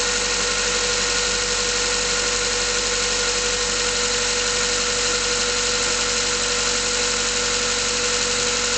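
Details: Mazda 3 cold idle: light, loosely regular tapping about three per second, cause unconfirmed. Pistons were replaced under warranty, but the noises came back a year later, also warm under load uphill. Owner hopes it is bearings.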